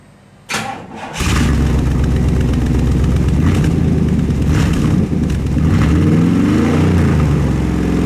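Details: 1998 Chevrolet C/K 1500 (GMT400) truck after installing a new aftermarket exhaust system and O2 sensor; cranks briefly, catches and settles into a deep steady V8 burble with even pulses, no leaks or rattles: normal exhaust note, much improved.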